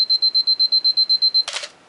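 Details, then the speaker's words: Canon AE-1 Program 35mm SLR self-timer test: eleven quick high beeps that speed up near the end, then a crisp shutter snap. Self-timer and shutter release work normally. "here's the lock position and then the self-timer position and here we hear it beeping and it will start beeping at a little faster rate when it gets close to when it's going to take the picture"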